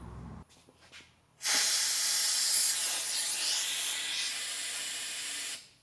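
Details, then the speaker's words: Vacuum coolant filler on 1960 Chevy Biscayne LS swap: loud steady airy hiss about four seconds, cutting off cleanly, as it pulls vacuum on cooling system to prevent airlocks; major leaks would stop vacuum building; normal operation. "as long as you drain the cooling system first and then run this it'll pull a vacuum everywhere"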